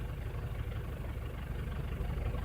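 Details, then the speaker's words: 2009 Ford Everest 2.5L common-rail diesel with a low-power complaint, on an injector cut-out test at idle. Shutting off injector number one makes the idle lumpy and uneven as that cylinder drops out, showing the injector is contributing. "I don't know if you can feel hear the vibrations yeah but it kind of misfired a little when I shut down that injector number one which tells me that injector is contributing"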